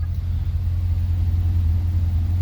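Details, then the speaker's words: Twin-turbo Chevrolet Caprice PPV V8 after repairs to exhaust leaks and leaking wastegates: smooth steady low idle rumble with no ticking or puffing, much quieter up front, injectors clicking. "is way better no more exhaust leaks way quieter up front"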